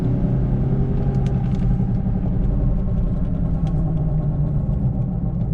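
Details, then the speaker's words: 2006 Infiniti M35x at speed with a rubbing noise and vibration at all speeds: a steady low droning growl under the road roar, from a badly worn right front wheel bearing. It gets louder when braking, with shaking, and the wheels are bent. "Yeah, that bearing's real bad. It's up front. Sounds like right front. When I hit the brakes, it gets louder."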